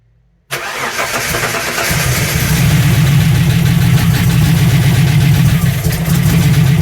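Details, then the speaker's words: TVR running MS2 Megasquirt with VAG coil conversion: engine catches into a lumpy, uneven idle with irregular stumble; coil C not firing in spark test (A and B ticking), still dead after swapping coils; a loose solder on the coil connector found. "So as I kind of suspected, I did a spark test on the test mode on the Tuner Studio, and A and B was working. I could hear them ticking, but C wasn't."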